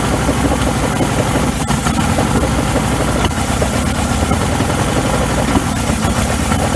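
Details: 1994 Suzuki 115 two-stroke outboard, engine hot, cover off, after a 15-minute hot soak: loud, steady two-stroke buzz holding an even idle without dying, where earlier it would not idle at all.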